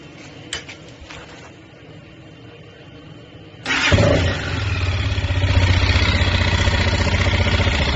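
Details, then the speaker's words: 164FMM motorcycle engine after a broken third gear damaged the case and cylinder; gearbox, cylinder, head and piston replaced, knock unchanged: engine catches then idles with steady heavy knock about four times a second; replacing crankshaft fixed it. "вот поставили другую поршневую с другого мотоцикла вообще и также такой же звук Один в один короче что не поменялось"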